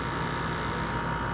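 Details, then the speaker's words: LG window AC unit and a recently fixed central AC unit both running: steady even mid-pitched hum with no knocks or rattles; both compressors running normally. "lg give that compressor right got to hear both compressors running"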